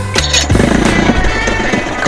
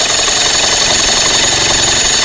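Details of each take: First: Johnson 25 hp two-stroke outboard after about 30 minutes submerged, being dewatered, cranked with starting fluid on a weakening battery: a few sharp pops as it catches, then falters and dies instead of staying running. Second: Johnson 25 hp two-stroke outboard after about 30 minutes submerged, spark plugs out, cylinders being cleared of water, starter loosened with WD-40: fast, even whirring crank about four turns a second, no compression lumps or binding; normal cranking, nothing fried.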